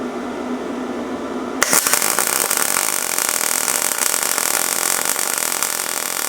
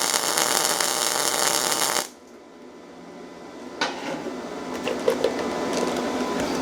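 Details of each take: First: Yeswelder MIG-205DS MIG welding steel coupons with shielding gas: after a quiet start the arc strikes into a steady, even crackle like frying bacon, no pops or buzzing; a good weld. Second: Yeswelder MIG-205DS MIG welding steel with no shielding gas: harsh, hissing crackle for two seconds then quiet; uneven spattery arc, weld porous and styrofoam-like, really weak.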